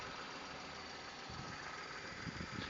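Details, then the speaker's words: 2005 VW Polo 1.2 petrol/LPG hatchback, running on petrol with bonnet open: quiet, even three-cylinder idle with no squeaks, rattles or knocks; engine sounds tight and healthy. "no squeaks rattles engine sounds tight uh pulls well"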